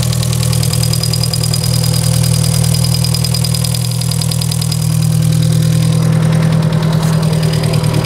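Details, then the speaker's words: Volkswagen Polo 1.6 EA111, noise at first start: steady smooth idle with light quick ticking about three per second from a hydraulic lifter; exhaust manifold leak also suspected. "Te parece ser do tucho, mas o motor também, ó, tá redondinho. Tá batendo o tucho."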